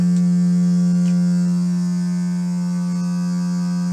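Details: Two-story townhome with six months of low water pressure at every faucet (kitchen, bathroom, laundry, upstairs): a loud, steady, howling low hum at one pitch while the water runs as the supply pipes resonate, cause not yet found.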